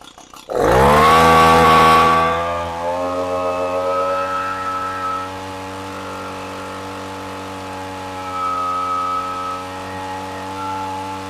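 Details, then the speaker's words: Echo PB-250 leaf blower after carburetor rebuild, fuel line and grommet replacement and adjustment; revs sharply then settles into steady even buzz, no misses or surging; normal running, oil possibly still built up in carburetor. "All right, that sounds much better."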